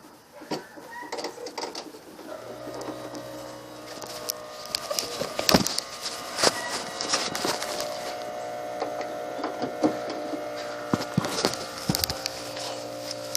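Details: 1997 Chevrolet Suburban air suspension compressor, reconnected to check for leaks before re-running an airline that had touched the exhaust. A steady low motor hum under clicks and handling noise; the compressor runs and pumps normally.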